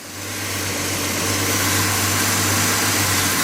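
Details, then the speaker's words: Budget turbocharged 250 engine running with a rebuilt power steering pump: even engine hum over a steady airy hiss, no whine or groan; normal power steering pump. "that the power steering pump I rebuilt is working. It's not making no funny noises."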